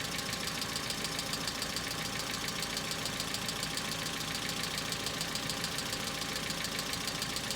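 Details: Hyundai Accent cold-started at about -2 to -3 °C: fast, even ticking about two per second over idle returns after stopping at 3.5 minutes; owner calls it hydraulic lifter knock, now more intense and longer-lasting than in summer.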